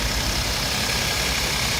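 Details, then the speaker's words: Hyundai Genesis 3.8 after a no-crank/no-start fault, fixed by repairing a broken wire in the inhibitor switch circuit and refitting the starter relay: a smooth, even idle with no misses or knocks. Normal idle. "السياره اشتغلت نظامي سياره اشتغلت شغل نظامي مظبوط"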